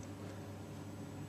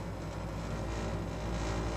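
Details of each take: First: Baxi combi boiler with a newly fitted burner: a low, steady hum with no roar, rattle or pulsing, much quieter than before, running normally. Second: Baxi combi boiler run at 90 degrees, heard as the thermostat calls for heat: a heavy low droning rumble with an uneven shudder under the burner roar, the burner vibrating loudly; a new burner is due to replace it.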